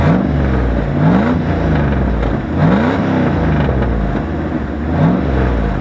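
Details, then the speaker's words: 1994 Dodge Dakota 5.2L (318) V8 on stock exhaust with a crusty tailpipe and a muffler riddled with holes: a loud, raspy burble that swells as it revs, rougher and more open than stock. Exhaust leak; needs a new exhaust front to back. "the muffler has hole is riddled with holes it needs a new sauce front to back really however it does still sound really good"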